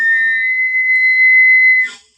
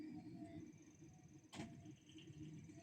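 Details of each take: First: Gas boiler (Pigma Green) after cleaning deposits, gas valve opened to blow through gas pipe; clean steady high whistle about two seconds then cuts off; owner suspects a narrowing at the pipe connection or gasket, reportedly worse at low temperature during fan ramp-up. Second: Chaffoteaux Pigma Green condensing gas boiler with front cover closed, with a part removed to cure a howl: steady low fan and burner rush with one ignition tick and no howl, even at a higher temperature setting. Normal burner ignition.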